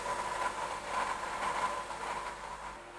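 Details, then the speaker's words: Honda Element running: a dry, rough whirring hiss with a faint thin whine. The alternator bearings are worn out, ruined by oil from a power steering leak; it needs an alternator, a rack and pinion and a belt. "All that oil didn't do the alternator bearings any good. The bearings in this unit are smoked."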